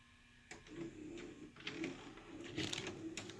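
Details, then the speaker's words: 1988 RCA VR-275 VCR, bought with a jammed loading mechanism, now repaired, fast scanning: light mechanical whirr with soft clicks and a faint low tone, no dragging, working nicely. Owner wonders whether a belt had worked out its defect. "this one's new enough where you just press the Scan button once to start and then just press play to stop and whine scan seems to be working really nice now"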